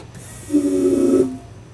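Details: 1991 VW Vanagon during engine swap, key cycled with fuel filter disconnected and line off the pump outlet: brief, smooth mid-pitched whir under a second, then silence; fuel pump priming normally.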